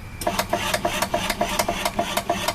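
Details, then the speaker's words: Makeshift MIG welder wire feed motor (24 V rated) run directly from an 18 V battery through an added heavy-duty controller: quick regular ticking over a light rasping drone, motor turning steadily at slow speed, working normally. "what I do is I hook up the battery and this is 18 volts now you hear it click that's on right see that wire feed works and I could slow it"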